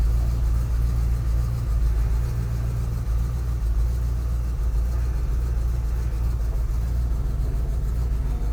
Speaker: good girl sounds good I don't a lot of smoke on Startup choke seems to be working